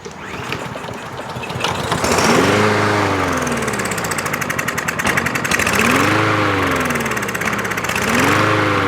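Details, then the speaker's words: About one-year-old 2023 Craftsman M110 140cc mower, Seafoam in the fuel, fed squirted fuel into the carb. It catches and revs, then sags and dies within seconds, repeatedly. Something is jammed in the carburetor jet, requiring carb disassembly. "sometimes we have seen that we can keep the motor running and seafoam will knock whatever is loose and blocking up the jet will let it go through obviously there's something in here that's jammed in there pretty good"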